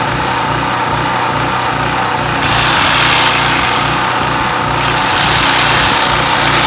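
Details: Generator used only once, after the carburetor was cleaned because the fuel pickup straw or venturi from the bowl was found clogged. It runs at a steady mid-pitch with a slight rise and fall in its note, sounding a little uneven: running rough.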